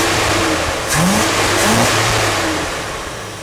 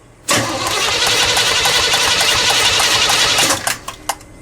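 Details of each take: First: Pink big-block Chevy after cleaning the carburetor, no throttle linkage connected, air cleaner on: the engine catches and revs cleanly, pitch rising and falling smoothly with no misfire or stumble; it runs much better than before the carb cleaning. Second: Pink big-block Chevy, after its carburetor was cleaned for running very lean at idle and refitted, no throttle linkage connected. Three seconds of fast, uneven cranking stops without the engine firing. It starts soon after and sounds much better.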